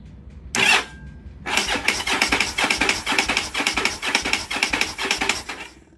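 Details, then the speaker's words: Motorcycle that sat for a long time, starter spins engine in steady chuffing beat about five pulses a second for several seconds but never fires; crank no start, owner suspects carburetors gummed up from sitting, not confirmed. "my guess is the carburetors are gummed up from sitting so long"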